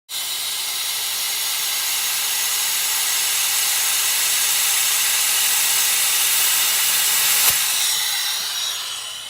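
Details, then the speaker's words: Boost leak test on a Subaru Legacy GT with an EJ25-type engine, J-pipe turbo and a newly installed aftermarket intercooler: a constant sharp hiss holding steady under pressure. "here's a good example of how you do a boost leak test on a legacy GT"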